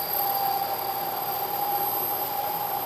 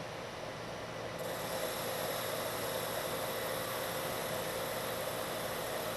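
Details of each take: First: Lathe turning a long, thin part: a loud, steady ringing squeal near 800 Hz is chatter. The part deflects under cutting forces, rides up onto the tool and vibrates, leaving an irregular finish. Machining a center is the fix. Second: this time you don't hear the chatter and if i stop the machine you can see i have a much better surface finish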